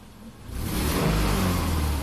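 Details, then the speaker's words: 2005 Subaru Forester 2.5 L manual, hot idle about 650 rpm, fuel trims good; a quick throttle tap lifts revs, which drop straight back to a steady, even idle with no hang or surge: normal return to idle. "Well, I'm just gonna tap the gas here. Comes right back down. It's good."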